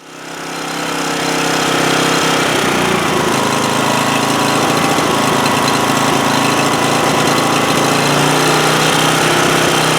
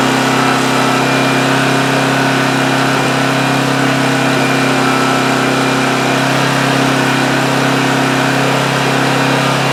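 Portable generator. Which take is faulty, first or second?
first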